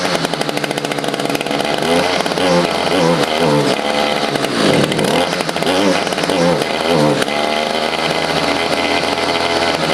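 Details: Stihl FS55 trimmer just after a carburetor, fuel line, fuel filter and air filter replacement (it previously would not prime): high buzzy two-stroke note rising and falling with throttle blips, then a steady idle; runs cleanly.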